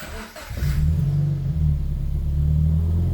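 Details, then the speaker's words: Scion FR-S freshly rebuilt engine, first start after reinstall with fuel pump primed, car at 92,844 miles: brief crank, catches at once and settles into a steady, even idle with a light rev, sounds good; normal start and idle. "[Laughter] yes and it sounds good heck yeah heck yeah"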